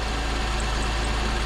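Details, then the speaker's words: 2005 Pontiac Grand Prix 3800 Series III V6 idling after replacing the lower intake manifold and water pump gaskets: smooth, steady low hum with no knocks, ticks or misses and no leaks. An alternator pulley chirp was earlier quieted with lubricant. "but she's idling good sounds great everything is no leaks"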